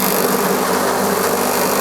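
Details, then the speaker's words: 2-ton AC compressor running: steady even hum, no knocking or rattle; compressor healthy. "अब यह देखिए बिल्कुल भी कंप्रेसर वाइब्रेट नहीं कर रहा है ना ही बैक है सक्शन से फेंक रहा है। तो यह कंप्रेसर एकदम न्यू जैसा है। कोई दिक्कत वाली बात नहीं है।"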